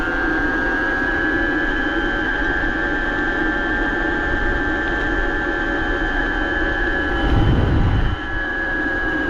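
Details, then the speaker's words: BBS02 mid-drive motor on 72V after earlier damage, ridden downhill at 31 mph in first gear under 1,000 W: a loud, steady high-pitched whine far louder than it should be. Something is suspected out of whack inside; not confirmed. "that was kind of downhill but this will loud though man this thing's crazy I don't want to scare people I that's crazy"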